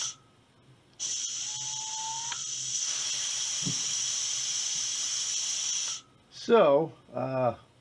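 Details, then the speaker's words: Air rifle booster pump filling a Texan from about 2,500 psi, with drive air regulated to 125 psi: a loud hiss while the actuator is held, a short tink at the stroke, then quiet on release, cycling normally up to about 3,500 psi. "so when I press the actuator you'll hear the stroke you'll hear it go tink and then you let off"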